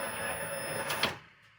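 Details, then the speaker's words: Widebody BMW E30 on Megasquirt ECU, key on: fan runs, then fuel pump primes with a thin high whine about a second and clicks off; normal. "we got power we got the fan you hear it number number one and then you'll hear the fuel pump kick on with number three"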